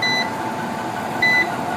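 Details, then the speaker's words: Home solar inverter with red light on: two short high beeps about a second apart over low fan hum; alarm caused by dust clogging the cooling grille, fixed by removing and cleaning the grille regularly. "इससे भी आपका inverter बार-बार द्वीप जनों खत्म हो जाता है वजह क्या होती है कि यहां पर धूल-मिट्टी ज्"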